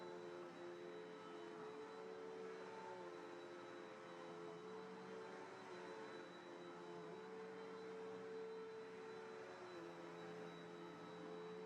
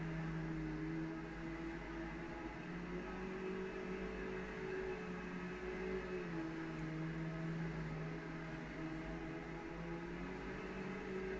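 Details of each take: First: Cheapened Bissell upright vacuum with a 10 amp motor rather than the classic 12 amp: a steady high motor whine with a thin wavering squeal on top, possibly the belt or brush roll slipping; the squeal may or may not go away. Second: Brand-new Bissell Powerglide Platinum vacuum running: a steady, even motor hum with a constant low drone and no rattles, surges or scraping; it runs perfectly.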